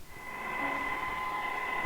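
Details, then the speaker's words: Sangean ATS-909X2 on shortwave with its built-in telescopic antenna, compared against a Tecsun PL-990X; steady high whistles over soft hiss that don't drift and aren't helped by changing bandwidth, suspected internal interference lines, cause unconfirmed. "i have no idea what that is oh no it's some type of internal lines but"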